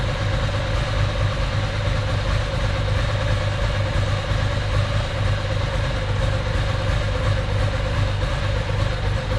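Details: Ducati 750SS with Mikuni carbs at idle, mixture screws wound fully in from about four turns out (1.2% CO on gas analyser): low, lumpy, hollow uneven idle; too lean, running on one cylinder.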